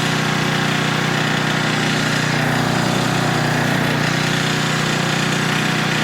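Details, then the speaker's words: Older Tecumseh 10 hp 4,000 W generator, speed lowered to 60.8 Hz, carrying a 1500 W load, nearly half capacity; steady, even drone holding speed without sagging or hunting. Normal governed run under load. "But if I could put a pretty significant load on it, I mean it's almost half and it doesn't even bother to fall or struggle one bit, then I'm feeling pretty confident in that."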